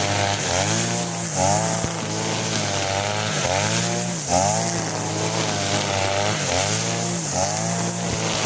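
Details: Side-mounted grass trimmer with line head, carburetor mixture screw turned half a turn to the line setting, cutting grass: high free-revving buzz dips briefly as it bites then recovers, no labouring; normal light running under load.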